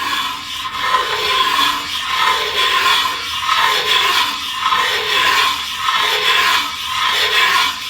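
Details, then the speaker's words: Ridge reamer turned by hand in an engine cylinder: rhythmic dry rasping, about one stroke per second, as the blade slides up the bore and cuts the cylinder ridge. "that blade is just touching the cylinder walls and it's going to start sliding up the bore as i'm turning it and let's listen hear that we're now cutting [Applause] the ridge"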